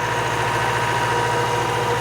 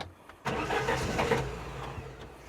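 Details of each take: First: Classic Saab barn find with 81,000 miles, stored 32 years, freshly revived and running from a small rigged fuel can: steady, even idle with a soft, fast, regular beat and no knocks or misses. Normal idle. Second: Classic Saab barn find, stored 32 years: short, uneven cranking that briefly catches, then fades without settling to an idle; the crew wonders whether it has run out of petrol, unconfirmed. Struggling to start.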